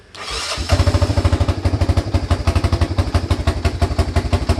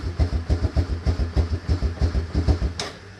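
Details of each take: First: Honda FourTrax 300 ATV after repairing a no-start/no-crank fault, including a missing choke-cable clip; it catches within half a second and settles into an even, steady idle of about three beats per second; clean start and healthy idle. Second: Honda Fourtrax 300 ATV after carburetor cleaning: engine chugs in heavy thumps about four a second for under three seconds, then stalls; choke cable slipping because its gold retaining clip was missing.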